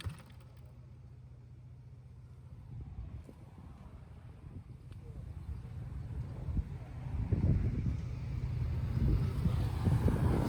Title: Suzuki 50cc moped CHOI NORI . rusty exhaust leaking condition